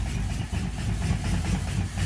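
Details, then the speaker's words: 2014 Dodge Charger 5.7L at idle after fixing cam sensor air gap, coils reconnected: lumpy, loping idle with a missing pulse; a dead cylinder confirmed, cause still being diagnosed with a scope. "you can hear it running out but there's a dead hole"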